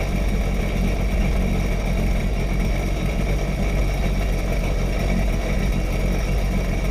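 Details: Sea-Doo jet ski dewinterized after winter storage, running on the flushing hose: steady, even low rumble with no knocks, misses or rattles; engine running smoothly and healthy.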